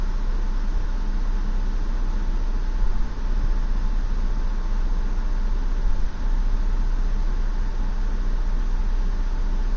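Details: 2016 Ford Explorer rough idle: a low steady hum that dips and stumbles twice in ten seconds, not holding a smooth idle; the cause is suspected, not confirmed.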